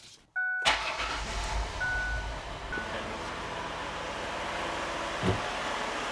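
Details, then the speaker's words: 2007 Ford Freestar (Mercury Monterey twin) after new spark plugs and wires: short crank, catches cleanly and settles into a smooth, even idle with no misfires. "There we go, sounds good. Make sure there's no misfires."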